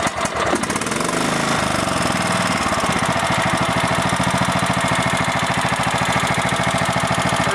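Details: Kohler lawn mower engine after repair for starting cold but not restarting hot or warm: brief crank, catches on the key, settles into steady, even thumping run about three to four beats per second; starts normally.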